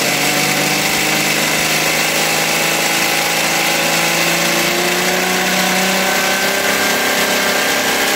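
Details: Philtech V12 model aircraft engine, 108 cc liquid-cooled two-stroke glow engine with miniature radiator, after warm-up: smooth, even high-pitched buzz, steady tone, no misses or knocks; normal clean idle.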